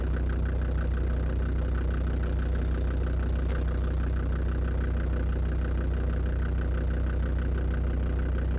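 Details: Land Rover Defender Td5 after radiator work: a steady diesel idle with a light tick about three times a second, heard loudest at the snorkel. It did not fade with warm-up and seemed to go after revving; hydraulic lifters suspected, unconfirmed.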